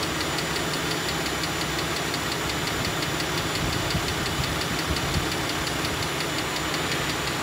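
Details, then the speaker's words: 2013 Jeep Grand Cherokee Limited (WK2), 3.6L V6 Pentastar, idling with the hood open: a sharp, steady metallic tick about four times a second. A rocker arm ball bearing has failed, so the camshaft hits the rocker's metal sides; the rocker arm will be replaced. "as soon as i pop the hood then it's going to be a lot easier to hear that ticking sound [Music] that tells me that there's a bad rocker arm"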